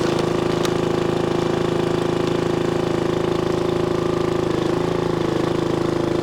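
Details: 1996 Brave log splitter, about 30 years old, revived after its engine had seemed to seize; splitting wood on a cold, windy day, a steady small-engine drone sags briefly around five seconds and fires smooth and regular; healthy.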